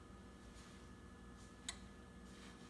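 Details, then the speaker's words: Ninja Foodi pressure cooker cooking ribs: quiet room with one crisp click as the relay switches when pressure is reached, starting the timer; normal. "So you can kind of hear when the relay is thinking about the pressure being high enough to start the timer."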